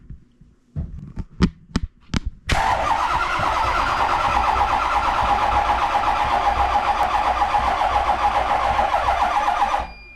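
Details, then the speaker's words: Ford 6.0 Powerstroke diesel (2005 truck) after FICM relay replaced, cranking on a jumper box; a few clicks then seven seconds of laboured rhythmic cranking, no start, electrics go dead; suspected weak batteries or starter pulling too hard, unconfirmed. "Whenever you turn it over, it just goes completely dead. What are you thinking? I think you're gonna need a starter. That starter's draining, pulling too hard."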